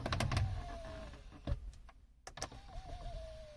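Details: Audi A6 C7 MMI display, before disassembly to lubricate it; faint thin whine with a few light clicks as the screen motor opens it quietly with no crunching; opening is normal, the owner's complaint is a slight crunch on closing.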